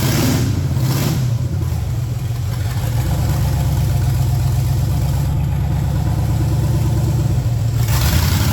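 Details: Project truck with LS swap on a lift after transmission fluid was added; deep V8 rumble that stumbles and won't build cleanly on throttle, from a couple of big vacuum leaks plus no mass airflow sensor fitted.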